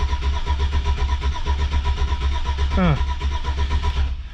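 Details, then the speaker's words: 2004 Chevy Silverado cranks but won't start after a junkyard crank sensor swap, with a battery borrowed from a Yukon. Even, steady cranking for about four seconds that never fires; the cause was not yet known. "So I got nothing, guys. So I'm gonna keep on doing some tests here, and if I find something out, I'll let you guys know."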